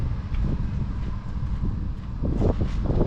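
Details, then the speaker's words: 1.9 TDI PD diesel in a SEAT Ibiza, started on a jump pack after needing a longer crank: low, even diesel idle with steady firing, no knocks, some wind on the mic; normal idle. "So, fired up pretty easily, to be fair. I just needed to crank it a little bit longer."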